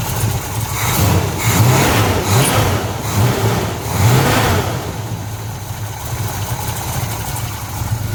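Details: 1970 Pontiac LeMans, rebuilt 455 bored to 461, 6X heads, Quadrajet carb, after new MSD 6AL-2 ignition box install: fires after brief crank, blips up, drops to steady, even V8 idle without misses; normal start and idle.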